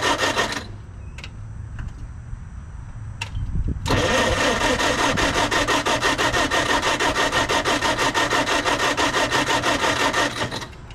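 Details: Carbureted project engine, crankcase overfilled with oil smelling of diesel; owner suspects trashed or flooded carburetor or lost spark, battery weakening: even cranking about three beats a second for several seconds, never catches; cranks, no start.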